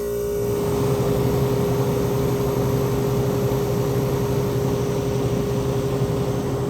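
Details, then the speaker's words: Vintage Westinghouse 10,000 BTU A/C, R22 20 oz, owner guesses about 1975 from the serial; on high cool, mic at the back near the compressor: steady low hum after start-up, no knocking, rattling or surging; compressor running normally, quietly. "it gets pretty quiet once it's uh running here"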